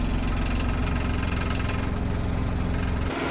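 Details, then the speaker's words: Maruti Alto that misfired and vibrated with the AC on, with rpm fluctuating around 1000–1200: after the fix the small petrol engine idles evenly at a steady 800–900 rpm with no hunting, misfire or vibration. "RPM भी 800 900 800 900 हो रहा है। RPM fluctuate बंद हो गया है।"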